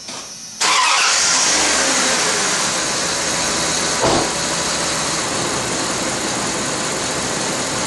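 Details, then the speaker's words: 1995 Dodge Dakota 318 5.2L V8 after water pump replacement: quick crank, catches cleanly and settles into a steady, even idle with no knocks or misses; starts and runs healthy. "Okay, she's been running now for about 15 minutes. It's coming up to operating temperature."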